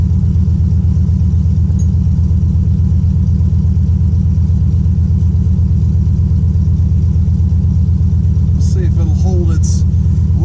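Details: 1996 Impala SS with LS1 swap, idling after battery disconnect for IAC relearn: deep V8 lumpy, uneven pulse around 80 a minute, hunting without settling; points to vacuum leak; relearn failed.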